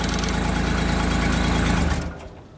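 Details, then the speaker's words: JLG 260MRT small scissor lift after starter replacement, battery about 12 V: small engine runs evenly about two seconds then dies abruptly. Start-then-stall; suspected the controller gets no RPM signal from the speed/crank pickup and shuts everything off, to be checked by oscilloscope. "we still have a start run stall situation so my suspicion right now is that this computer does not know that the engines running there's no rpm signal and then it just shuts everything off"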